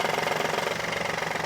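A coarse, rapid rattling grind rides over the running engine in quick even pulses, pointing to a worn AC compressor.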